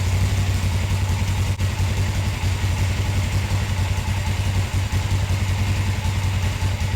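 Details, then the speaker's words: Motorcycle after rehooking the carburetor throttle return spring behind its lever, following carburetor gasket replacement: low, even thumping idle with no surging or hunting; high idle fixed, normal idle. "well that was a lot better that spring was what did it"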